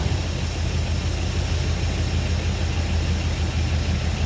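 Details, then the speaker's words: Jeep engine with new connecting rod bearings, reinstalled, cold idle needing warm-up after coolant top-up: rough, rattly idle with fast uneven clatter over low rumble; owner hears a little tappet noise on both sides; lifter tappet noise at cold idle. "We got a little bit of tappet noise. Yeah, both sides, a little bit of tapper noise."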